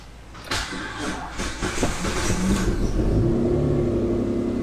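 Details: Old Dodge after welding repair, battery cables reconnected: short crank, engine catches and settles into steady even idle with no knocks or blowing leaks; starts and runs healthy.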